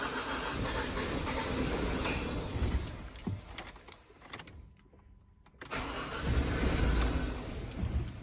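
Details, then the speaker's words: 2013 Ford Ranger diesel, started fine for 45 minutes after new glow plugs then began stalling; catches and runs unevenly a few seconds then dies, recranks and fires: starts then stalls. "Starts very momentarily. Okay, starts and cuts out."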